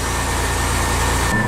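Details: Porsche 996 Carrera idling after fitting a second replacement AutoZone alternator: steady, even idle, smooth low hum, no knocks or squeals; charging almost 14 volts.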